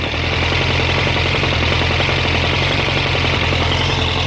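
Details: 1998 Suzuki Bandit 1200 at warm idle, mic by the clutch cover: faint, even knock under the engine note; source not pinned down.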